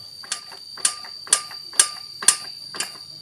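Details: Suzuki Satria 120 six-speed with power loss, engine turned by hand: sharp metallic ticks about twice a second from the block; teardown finds badly scored piston and cylinder causing piston slap.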